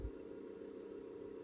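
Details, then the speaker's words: Philips EL 3586 portable reel tape recorder, fresh batteries after corroded ones removed: only a faint steady motor hum, no spooling whir; fast forward works but rewind does not. Rewind not engaging. "Fast forward, operating properly, but rewind, you can hear the motor"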